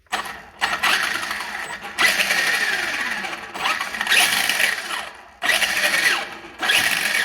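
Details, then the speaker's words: Traxxas Slash brushless motor after regluing the loose rotor magnet to the shaft with green threadlocker: short bursts of high electric whir with light gear noise; the screeching under hard braking and acceleration is gone. "oh yeah the sound is all gone might be a little gear noise but there we go that was it"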